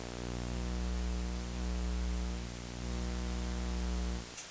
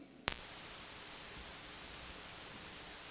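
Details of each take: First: Steady low mains hum with a buzzy edge through the speakers, cutting out abruptly near the end. A ground loop is deliberately created with a dimmable lamp on a modified outlet while two mixing consoles are interconnected. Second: Audio line carrying only a soft, even hiss with no hum or buzz after a brief plug-in click, with an isolation transformer inserted in a ground-loop test setup; clean line, no ground loop hum.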